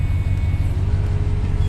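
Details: 2014 Ram 1500 5.7 Hemi V8 after repairing cam and lifter failure, with new head gaskets and exhaust manifold bolts: deep, even low rumble with steady pulses and no ticking or tapping; running smooth and healthy.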